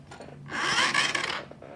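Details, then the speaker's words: Supercharged postie bike motor that died with a loud crack, metal found under the rocker cover, turned over by hand: short, dry, metallic rasping grind, something binding; gearbox suspected, not confirmed. "that no idea what that is that sounds gearbox"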